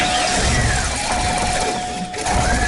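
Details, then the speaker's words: 2003 Chevy Astro van after replacing a bad ignition control module, now running: loud, uneven, lumpy engine note with no settled idle; runs rough, multiple codes incl. MAF, cause not pinned down. "So we put an ignition module in it, and now the truck does run. However, this truck has other problems. It runs like crap."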